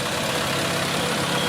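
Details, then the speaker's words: 1994 vehicle idling just after the rest of the exhaust (welded cat-back section) was fitted: even, steady idle with a smooth note, no knocks, ticks or leaks. "I didn't even hear it sound. Alright. That's quiet. Sounds good."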